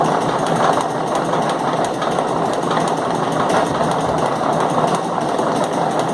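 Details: Steady mechanical clatter with sharp, unevenly timed knocks about every second, especially loud at points; periodic knocking, possibly tied to a chain taking about one minute per revolution; cause not confirmed.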